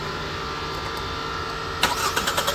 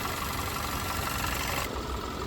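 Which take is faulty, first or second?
first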